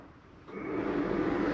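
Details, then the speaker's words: 2024 Flagstaff Shamrock 233S travel trailer furnace, heat turned up at the thermostat: a soft whoosh of air spins up and settles into an even hum. Furnace blower running normally. "all right you hear that running I'm going to shut that heat off and it's actually going to take a few minutes before that fan will shut off"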